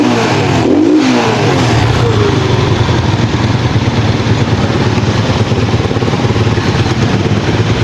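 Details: Pantra-type single-cylinder motorcycle, formerly very hard starting, after converting to a Lihua 4-pin CDI on a primary-type stator: steady even thump, picking up smoothly with throttle and never stumbling; starts easily now.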